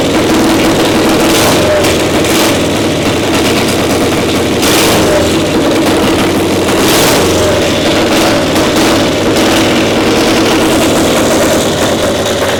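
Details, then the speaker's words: Caterpillar Diesel 70 two-cylinder pony starting motor after swapping the faulty cap: steady, even beat with both cylinders firing, runs perfect; exhaust manifold stud still leaking. "The analysis on this one now that you switched that cap? Runs perfect."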